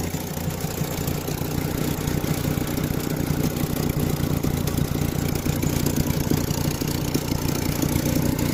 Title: Volkswagen rabbit exhaust leaks. #diy #Volkswagen